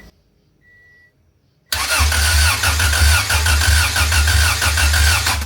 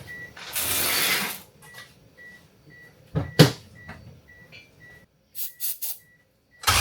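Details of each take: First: Wagon on first crank after engine work, out of gear with no fuel in the tank: even cranking about three beats a second with strong, matched compression pulses; normal cranking. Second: Kyler's wagon, first crank after ECU repin for multi-point fuel injection: steady starter churn about three beats a second, never fires; main relay not working, later traced to a disconnected ground wire. Crank no start.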